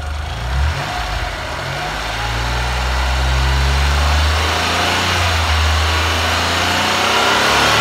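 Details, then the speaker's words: Car (Melbourne, Australia) running on petrol vapour from a homemade bubbler feeding the air intake, original hoses left in place: low idle holds but wavers and sags, sounding like it wants to stall at times; rough, unsteady idle. "and then when it gets lower to a lower idle sometimes it kind of sounds like it wants to stall a bit that's not too bad"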